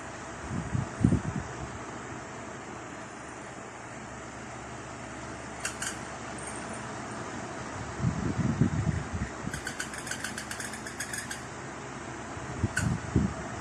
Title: Electric fan making weird noises